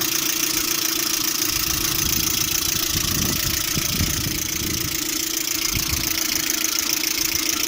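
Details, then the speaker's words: Lada Priora idle with regular fast knock, about three or four a second, over a hissy background, present cold and hot; seems to come from the timing belt side, owner doubts hydraulic lifters. Knock at idle. "Звук со стороны вот ремня ГРМ, по-моему, выходит. Ну, на гидрике похоже, не похоже так. На гидрике не похоже."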